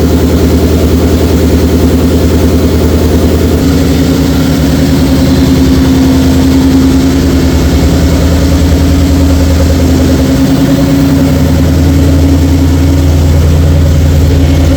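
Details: 2004 Mercury Marauder with a new forged supercharged 03-04 SVT Cobra engine swap, at startup: the V8 catches and settles into a deep, steady, even idle with no knocks or misses; healthy.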